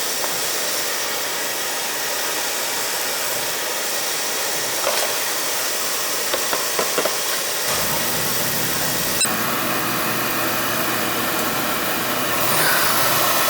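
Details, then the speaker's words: Utica TriFire oil boiler burner after service, fired with jumper: steady even roar after light-off, no pulsing, rumble or sputter; firing cleanly, same-size nozzle refitted. "nice and clean in this how clean it is it's running good"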